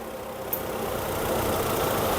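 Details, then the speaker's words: Car idling on LPG runs lumpy and shaky, but smooth on petrol; pinching one regulator hose smooths it. Leaking LPG regulator lets extra gas in, causing the rough idle. "Şu anda araç LPG'de çalıştığı zaman böyle titremeli çalışıyor. Titriyor araba."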